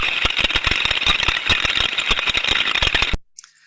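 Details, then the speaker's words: Ultrasound recording of a steam trap: irregular, rapid metallic clicking and rattling, about three or four a second, over a hiss. Loose, faulty mechanical components inside the trap body. "we can hear from that sound recording that we're hearing a lot of mechanical sounds a lot of rattling around inside the body of the steam trap there"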